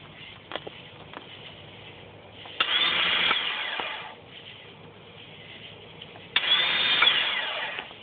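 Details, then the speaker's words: 1999 Sea-Doo GTX Limited, battery fully charged: pressing start gives two short bursts of high, thin whine as the starter spins freely without cranking; owner suspects the Bendix drive is not engaging the flywheel. "1999 cuu GTX Limited um having problem starting it sounds like the starter is engaging but the bendex is not engaging the fly whe and it's spinning freely"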